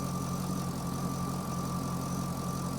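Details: Chevrolet Corvette with a P0300 code; an in-cylinder test showed the injectors firing at the wrong time. Lumpy idle with a stumble recurring about three times a second over the engine hum, a cylinder misfire. The injector current waveform is fine at about 60 V peak, and cam/crank correlation is off by one tooth.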